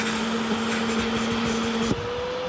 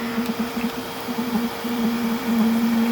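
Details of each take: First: Bissell Little Green ProHeat portable carpet cleaner: steady motor drone, then pitch jumps higher near two seconds as suction stops after pulling debris in, symptomatic of a common clog choking suction. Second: Bissell Little Green ProHeat carpet cleaner after clearing clog and reassembly, dirty water tank back in: steady even motor hum with clean suction rush, no choking; unobstructed, full suction power, sounds as it should.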